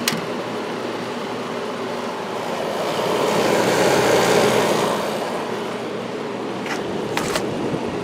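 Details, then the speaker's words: 1994 White Westinghouse 5,200 BTU air conditioner, Goldstar compressor, shaded pole fan motor, on low about 3.9 A after sitting unused: fan rush with loud compressor hum that quiets after a few minutes as pressure builds. "medium about 4 amps 94 wats and low 3.9 amps and the compressor did get a little loud now you can kind of hear how it sounds after it's been sitting for a while but that will go away"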